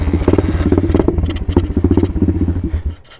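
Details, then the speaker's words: Apollo 125 RFZ Chinese dirt bike, completely cold engine at about 50 degrees, on half choke with no throttle: uneven, lumpy single-cylinder idle popping irregularly then fading out, idle needing adjustment; rough cold idle. "I have to adjust the idle a little bit because this this bike is funny if it's a little warmer out it'll crank up a little easier"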